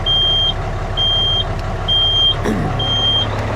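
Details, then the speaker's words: Used dump truck at diesel idle, air pressure still below 100 psi after sitting: steady high beep about once a second, the low-air warning, while the cab tilts back until air builds. "The other thing to notice while we listen to that annoying beep is the cab sort of tilts back."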